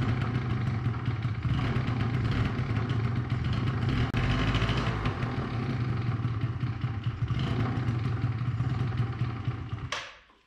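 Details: 2005 Yamaha Zuma YW50 two-stroke scooter after replacing bad ignition coil: catches and runs with a fast, slightly uneven rattle about ten seconds, then cuts off; sounds healthy, normal running.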